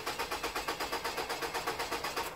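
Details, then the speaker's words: 2002 Nissan Altima 2.5 with code P0340 (camshaft position sensor): quick, even cranking about seven pulses a second with no firing; cranks but won't start, cause suspected, not confirmed. "me voy a salir afuera y voy a tratar de darle otra vez va a ver que el motor no prende"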